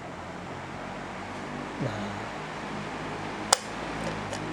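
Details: Victor 18-inch fan that previously ran weak, after capacitor replacement: quiet even whir with steady pitch, apart from one sharp click; motor now runs smoothly.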